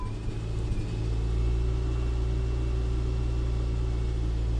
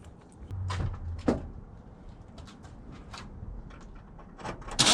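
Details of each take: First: Customer's car, which ran worse after a tune-up and often failed to start, catches on the first attempt with the fuel pump heard. It settles into a steady, even idle with no knocks or stumbles: normal idle. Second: Car with intermittent no-start after tune-up: starter cranks evenly about three seconds, roughly 3.5 turns a second, never catches; not fuel, so spark or compression suspected, likely bad spark plugs.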